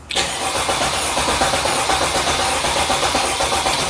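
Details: 2017 Freightliner Sprinter 3.0 L diesel, misfiring and losing power after customer replaced two injectors: cranking rhythm is lopsided, one beat per cycle lighter; one cylinder dead/low on compression.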